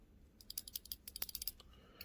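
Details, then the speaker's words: Tecumseh 5hp snowblower carburetor body after teardown and cleaning of water, rust and corrosion: quick flurry of light dry ticks as the body is moved; idle-side check ball rattles freely, not stuck. "that's on the idle side got the little check ball in there moving"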